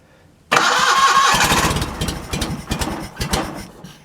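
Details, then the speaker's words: John Deere 316 lawn tractor engine in about 36°F cold, nearly out of gas, started on choke: catches abruptly, then runs rough with uneven, stumbling firing that fades out; too much choke, flooding itself out. "give it a little more give it a little more of that pushing the choke a little bit it's flooding itself out"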